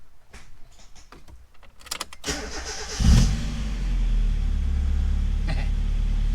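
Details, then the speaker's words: 1995 Mazda Miata, first start after new exhaust (used front pipe, Borla cat-back), heard from behind: engine catches quickly, smooth even deep idle, no exhaust leak or rattle; a few revs; normal idle, though owner notes lifter tick and occasional stumble when warming. "That's so much better. Let's hear it from behind. Okay, there's a few revs. Definitely sounds a lot better than it did."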